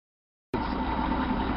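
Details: Chevy 230/250 straight six with upgraded Weber 2bbl carb, after fixing a vacuum leak: starts and settles into an even, quiet idle with a smooth low hum, no ticking or hissing, quieter than before the fix.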